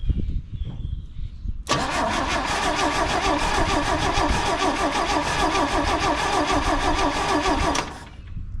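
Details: 1968 GMC C1500 pickup abandoned 27 years in a field, fuel poured into the carburetor: long crank, then catches and runs rough and choppy about six seconds before dying; fuel starvation, running only on poured fuel.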